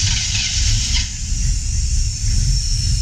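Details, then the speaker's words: 1968 Chevrolet Camaro SS V8 after oil gauge line leak fix and oil change: deep, lumpy rumble at steady slow idle around 700–800 rpm with slight hiss; no oil leaks, gauges good, healthy idle. "no oil our gauges were good I don't like the RPM to right around 700 to 800"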